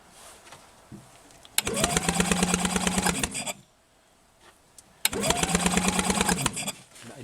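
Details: Rebuilt Penguin engine on a test mount, cranking forward with a spark tester in place of the plug and the fuel system not yet connected; points and timing already checked. Two short fast even cranking bursts, no firing: cranks but won't start.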